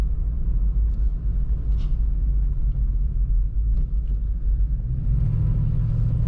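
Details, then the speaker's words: 1990 Chevrolet Blazer 4x4 cruising with cruise control set: low, steady stock-sounding exhaust rumble under road noise, smooth with no knocks or misses; exhaust sounds healthy. "stock sounding truck, a little bit of rumble there, which sounds good."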